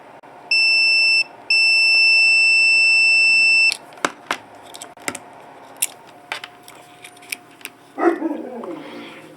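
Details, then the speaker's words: 1984 Corvette Crossfire Injection fuel pump relay bench-tested, coil energized at pins B and C with a meter across A and E: steady high meter beep drops out briefly, then holds about two seconds; relay contacts closing normally with continuity. "you should hear a click you should have relay click and then you should have be able should have continuity between a and E"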